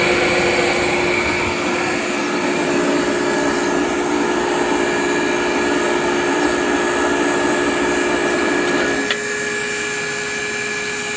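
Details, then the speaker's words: Rebuilt KICE waterfall aspirator, butterfly gate open: steady rushing hiss of air drawn through the ports by the fans over a constant fan hum, no surging or rattles; normal. "hopefully you can hear that hissing it's the sound of air coming right through these ports it's being backed away by these fans"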